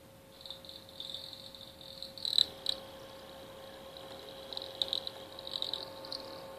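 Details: PS3 disc drive that began squeaking at the end of a game and has not read discs since: faint, high, thin chirping squeaks in short bursts over a quiet electrical hum. Cause unknown.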